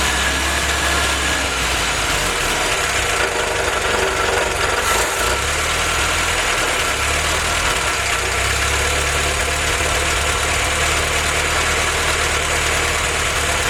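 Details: Willys F-head four-cylinder engine for a snow blower jeep, freshly built, warm, on newly fitted Weber carburetor, 180 thermostat; steady low idle beat under some hiss, no misses or knocks; normal idle.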